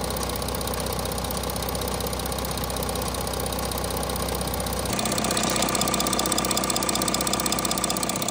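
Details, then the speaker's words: Audi A6 C8 3.0 TDI third-gen diesel after camshaft sprocket replacement: even idle with a steady regular beat, no rattle or knock; engine noise sorted out. "okay guys so that's the A6 gone uh the owner was pretty much happy because the noise was all s out so that's fine"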